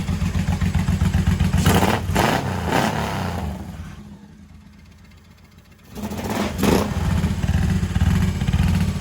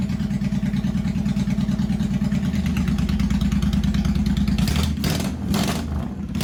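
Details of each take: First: 1985 Honda VT1100 Shadow, first run in 25 years after carb work. Lumpy V-twin revs up, drops to a quiet idle and picks back up cleanly. Sounds healthy and responsive; normal running. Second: 1985 Honda VT1100 Shadow V-twin, first start in 25 years, enricher off, idle bumped up during carb work, no mufflers. Loud, lumpy open-pipe beat of about three pulses a second, steady but uneven. Rough idle on carbs not yet synchronized.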